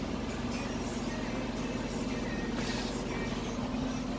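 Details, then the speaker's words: 2008/2009 Ford Escape after replacing a muffler that had a large hole causing an exhaust leak, engine restarted: steady, even exhaust note with no blowing or rasping. The exhaust is sealed and quiet. "fired up here now the muffler is quiet"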